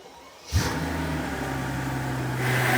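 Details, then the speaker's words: Mercedes CL65 AMG twin-turbo V12 with bigger turbos, ported heads, larger injectors, first start in a long time: catches instantly, deep even idle, no misses; smooth start-up. "it's alive wow and is it smooth that's that's what the B12 is about smooth as glass"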